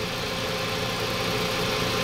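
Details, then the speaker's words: Toyota Vios 2NZ after the brittle, half-seated PCV valve hose was heated and refitted firmly onto the intake manifold: steady, even idle with no stumble or hunting; leak fixed, normal idle. "so Ang ganda na po ng idle ngayon ah singaw lang"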